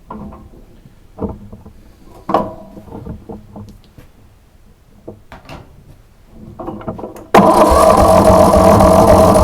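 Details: Starter-replacement test on a plow tractor, very cold with a weak battery: scattered clicks and shuffles, then the engine catches at once and settles into a loud, steady run; normal start after new starter replaced the worn, rusted old one.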